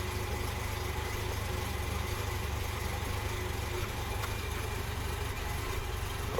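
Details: Series 1 Jaguar XJ6 with no choke, cold engine just started: quiet, slow, lazy idle near stalling at about 485 rpm, idle speed too low; alternator heard sounding unhappy.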